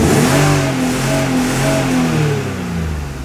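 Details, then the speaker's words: BMW E36, briefly warmed up, free-revving in the garage before intake manifold and cold air intake work: revs climb, then stutter against a hard cut around 5,500 rpm; the rev limiter cuts in early. "we'll show you what we mean about that weird limiter situation. So it wouldn't go all above 5.5, I would say."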